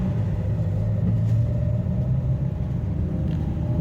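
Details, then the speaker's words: Renault Duster after major engine service, suspension work and alignment, driven roughly over potholes and speed breakers on road test: even deep road rumble, no clunks, knocks or rattles; suspension normal. "इसे थोड़ा सा rough चलाने की कोशिश कर रहा हूं खड्डे वगैरह में जैसे मान लीजिए ये हमारा ब्रेकर और मैं य से किसी भी प्रकार की आवाज नहीं है"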